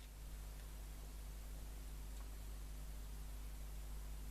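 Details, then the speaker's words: Bush VHF61 valve radio, recapped, warmed up: stations stay silent, only a steady low hiss over faint hum; no reception caused by a failed first IF valve. "But still no stations. But we do hear a sort of a noise."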